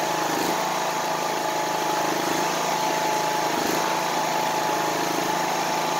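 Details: Craftsman YS4500 lawn tractor after a cold start following a few hours sitting: a loud, steady single-cylinder drone holds an even speed with no misses; the initial roughness has smoothed out.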